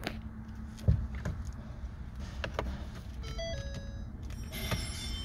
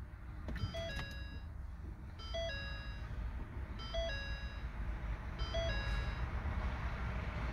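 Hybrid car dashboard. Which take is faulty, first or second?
first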